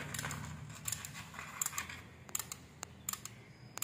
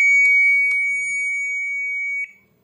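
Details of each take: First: IFB front-load Ultra washing machine control board, switched on: sharp dry relay clicks at uneven intervals, about one a second, display stays off and no motor or pump; cause found to be a weak 12 V capacitor. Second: IFB front-load Ultra washing machine control board, previously dead with only relay clicks, after replacing the faulty 7-pin switching IC. It powers up normally with one long two-second beep and a couple of relay clicks.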